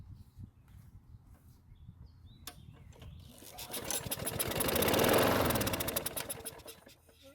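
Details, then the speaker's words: Craftsman push mower that wouldn't start, fuel poured into the carburetor throat: quick pulls, then rapid even firing for about three seconds that fades out; runs briefly then dies from fuel starvation. "luckily it started and ran for a few seconds which means the time we put into this project is going to be worth it"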